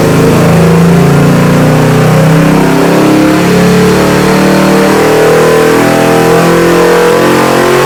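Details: Ford 347 stroker crate engine (450 edition) for a 1966 GT350, Holley carb with manual choke, run demo: V8 revving with a clear whine tracking revs from deliberately fitted noisy gears, supercharger-like; normal, runs great.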